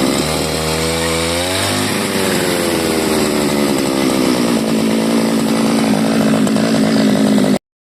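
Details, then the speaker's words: CG411 grass cutter two-stroke, which used to die when throttled, after the carburetor needle and seat were replaced: picks up cleanly from a low burble to a steady high scream and holds without stumbling; fixed. "accelerator yan yan lakas na ng ikot So okay na to wala pala yung sira"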